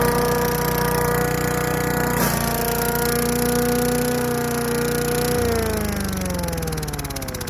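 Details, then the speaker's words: Craftsman Eager 1 4hp chipper vac (model 987.799790, auction flip) in vacuum mode with bag fitted, picking up long wet grass. Steady high-pitched hum dips briefly under load, then winds down. Running normally. "Looked like it sucked up. The grass is a little bit long and it is wet out here. So it is working."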